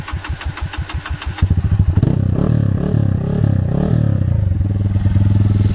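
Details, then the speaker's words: Honda Fan 160 (CG 160) after fitting a silent prepared cam, valve clearance left a little loose: even idle with light steady tick about three per second, revs rise cleanly; tappet noise normal. "ó parou lenta filé se você não tá fazendo barulho se vocês montar com 10 de folga tem moto que vai aceitar viio que não parou lenta é só subir para 15 de folga não vai precisar passar mais disso casou com 15 e olha o barulho mano pode chegar perto mais proso original Man"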